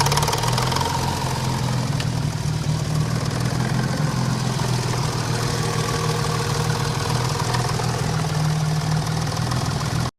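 Low rumbling idle with a dull knock repeating under the exhaust note that stays constant through the clip. This engine is knocking.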